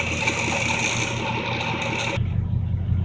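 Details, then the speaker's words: Chevrolet C10 V8 idling after the fuel pump was replaced; steady, even low rumble with the tapping sound gone, which owner thinks came from a sticking piston and play in the old pump's diaphragm; normal idle. "It just sounds a whole lot better. Yeah, it sounds a whole lot better now. That tapping sound is gone."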